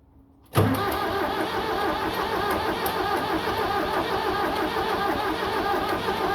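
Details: 7610 diesel tractor cranks with an even labouring churn for six seconds but won't start; fuel seen at lift pump, battery on charger with jump pack; owner unsure of cause, suggests ether might help.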